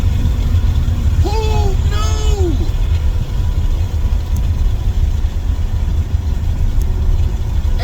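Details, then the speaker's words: 1994 BMW E36 325is barn find, 2.5-litre inline six, manual, first drive: deep, loud, steady exhaust roar under throttle, far too open for a stock system, because the muffler is blown; shocks also blown. "and even though the shocks are blown and as you're here in a second the muffler is blown so it sounds like it's got an exhaust on it"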